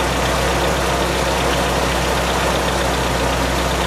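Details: Honda B18C engine with CP pistons at cold idle: a faint, even knock under the engine note that goes away when warm. Piston slap is suspected, not confirmed.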